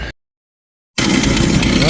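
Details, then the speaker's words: 1990 Jeep YJ 4.2L 5-speed, first start after a new fuel pump and cleaning five spark plugs: after a short gap it catches and runs with an uneven, stumbling beat that won't settle; owner suspects fouled plugs; rough running. "it's definitely running so I'm going to say that's probably just fou plugs and whatnot Maybe yep I don't know seems like it's still not wanting to run very good"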